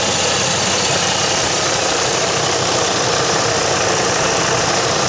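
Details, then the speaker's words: 2007 Chevy Colorado 3.7 L engine that had a ringing metallic noise idles evenly and smoothly after the belt tensioner was replaced with Gates 38178, with no ringing or chirp. "and the issue was the belt tensioner I've just replaced it I'll start up the truck now and you can hear it"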